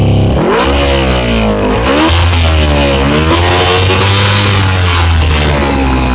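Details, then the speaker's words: 2000 Honda CBR600 carbureted motorcycle held above about 1500 rpm or it stalls, revs wandering with very poor throttle response; vacuum leak from all four leaking carburetor boots, to be replaced. "as you can see I have to have it above one or like a 1500 in order for it to stay running if it goes below that it'll shut off or it'll fall out super four throttle response"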